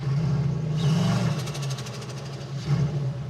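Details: 1974 Mazda RPU mid-engine truck with turbocharged 5.3L LS4: engine idles, then picks up cleanly on two sharp throttle blips after restart; throttle had been closing at wide open on the drag strip, cause suspected, not confirmed.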